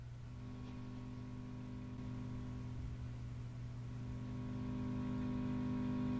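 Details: Home-built single-ended tube amp biased too close to maximum plate dissipation: low steady putt-putt pulsing about four times a second under a hum, slowly swelling; motorboating, fixed by lowering the bias.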